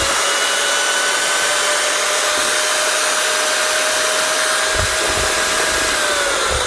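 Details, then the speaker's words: Old Protool (now Festool) 1000 W 5-inch grinder run at full speed: steady high-pitched whir, even with no popping or knocking; runs clean. "popping much better one old fast tool which used to be called protol 1,000 watt 5 in grinder that's actually a really nice machine nice and heavy and really well built"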